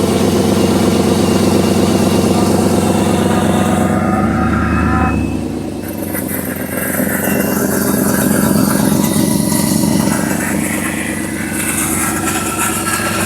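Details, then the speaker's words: 6.0 V8 in a donor GMC Sierra, running with the MAF sensor unplugged and alternator disconnected: even, steady burble with slight rev rise and fall, no misses or stumbles; unplugging the MAF fixed the poor running. "So unplugging that MAF definitely did the trick."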